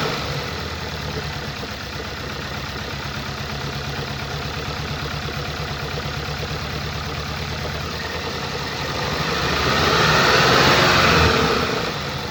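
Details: 2014 Skoda Octavia RS, 2.0 petrol CHHB (162 kW/220 PS), 196,743 km, idling: uneven lumpy idle stumbling about three times a second as one cylinder drops out; defective ignition coil and spark plug on cylinder 3.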